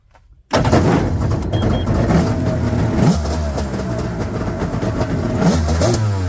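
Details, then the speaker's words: 1998 Yamaha WaveRunner GP1200 two-stroke, first start after engine installation, following a no-power, no-start, no-display fault cleared by entering the default security code: revs in uneven bursts, sagging and stumbling as it climbs; carburetors need adjustment. "Sounds like some carb adjustment is in order, as always with these carburetors. But there's a running 1200,"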